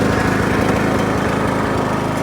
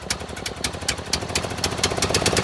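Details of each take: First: John Deere L100 riding mower, 17 hp single-cylinder, revived after not running, freed-up seized parts, steering still tight: engine running steady and even, no misses, stumbles or surging; normal running. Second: John Deere L100 small single-cylinder engine, first start on original battery with choke on: uneven stumbling beats and surging speed with one dip; owner suspects fuel a couple years old.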